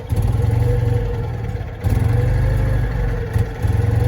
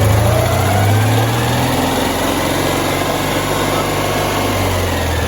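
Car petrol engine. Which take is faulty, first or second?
first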